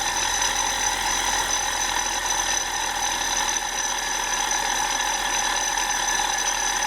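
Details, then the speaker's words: 1999 BMW 320i E46, M52 2.0 L inline-six, 5-speed auto, idling, recorded by stethoscope: a steady high-pitched whirring ring, loudest at the belt tensioner pulley, idler pulley also noisy; tensioner, idler and belt to be replaced. "テンショナーノートが明らかに大きくて変な音でしたよねあとアイドルアプリもちょっと音が出てましたが"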